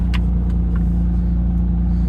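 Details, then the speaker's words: 1974 BMW E9 idling steady and even with a smooth low burble, no knocks; owner thinks it sounds okay but idles slightly high. "So, just curious if you think it sounds okay. I think it does. So, I think it's idling slightly high."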